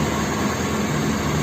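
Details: Nissan KA24DE engine first start after rebuild, fuel injection and distributor connected: smooth, steady low rumble with no knocks, ticks or grinding; healthy normal running.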